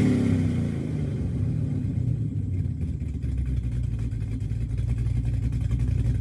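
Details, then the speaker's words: 1966 Chevy C10 with LS swap, newly fitted Flowmaster 10 Series mufflers replacing Cherry Bombs, warm idle: deep, even V8 rumble with steady low burble, no misses or ticks; normal exhaust note, sounds better than the Cherry Bombs. "all right yeah I got to say I think that to me that sounds a lot better than the Cherry Bomb so I'm pretty happy with that"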